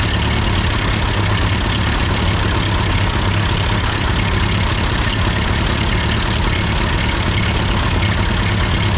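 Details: Ford 8N tractor idling after an amateur adjustment of the carburetor: even, steady low putter with no misses, surging or knocks; sounds good, normal idle.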